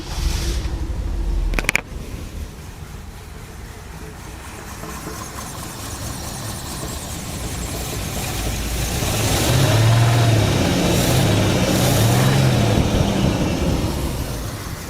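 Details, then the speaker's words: 1966 Ford Thunderbird FE V8 on a drive after trying a longer pushrod. It runs rough and lumpy, stumbling as revs rise and fall, with some spark knock: a misfire. Owner suspects a bad lifter and the longer pushrod holding the valve open. "This thing is not running perfectly. You can feel it missing."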